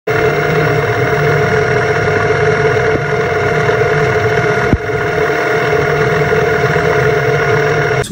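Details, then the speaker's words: Stock Fiido 36V 250W brushless geared e-bike hub motor at top speed (about 417 rpm, 24 km/h) on stock controller: loud, steady high-pitched whine, higher than the 350W motor; seen as maxing out, overstretched. "250 watt Moto sound is higher pitched and higher frequency what that's telling you is that the 250 watt model is being stretched out right it's being overstretched it's maxing out"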